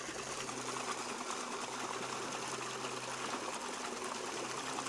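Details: Waterwheel microhydro generator charging a basement battery through a Victron MPPT controller at about 13–14.5 V, output only a few watts; quiet steady low hum over trickling water, no rubbing or knocking, smooth normal low-output running.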